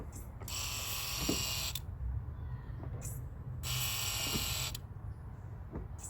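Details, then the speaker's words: Toyota FJ Cruiser, engine bay: two hissing whirs about a second each after pedal pumps, alongside the squishy brake sound; owner believes it is the brake accumulator pump pressurizing the accumulator, normal operation. "all right so that sound that we've heard i believe is the brick accumulator which is a small pump and a motor that helps pressurize the accumulator and acts as a pressure reservoir to assist the master cylinder when the brake peda"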